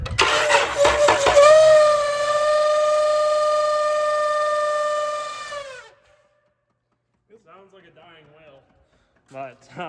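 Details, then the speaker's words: 2009–2011 Dodge Avenger V6, after no-crank/no-power fault: loud steady moaning squeal around 600 Hz, fading at shutdown; suspected seized AC compressor clutch pulley. "something's got to be seized oh maybe it's that uh air conditioning compressor clutch I bet you that's what it is"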